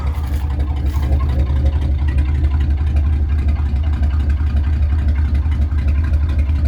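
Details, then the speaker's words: 1966 Ford Thunderbird 428 cubic inch V8, never rebuilt, on cold start: heavy booming boat-like burble at steady idle with a squeaking belt; both mufflers worn and need replacing. Loud exhaust from worn mufflers. "uh let's both need new mufflers [Music] as you can hear it sounds like a boat"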